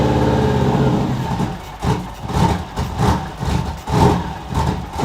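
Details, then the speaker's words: 2002 Subaru WRX at first start after fresh gas: the engine surges and sags unevenly instead of holding a steady idle. It runs rough because an ill-fitting blow-off valve lets in extra air; a new blow-off valve is planned. "the reason why it wasn't sounding the best was because it was getting too much air in because the blow-off valve wasn't on perfectly we have to hold it a certain way for it to work"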